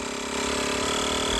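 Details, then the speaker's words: Gooloo A5 jump starter's built-in tire inflator compressor pumping a truck tire up from 30 psi: steady buzzing drone that grows slightly louder as pressure builds, no rattle or stutter; normal compressor running under load. "And hear how it ramps up to get that pressure going. Man, that baby is a workhorse, guys. It really works good."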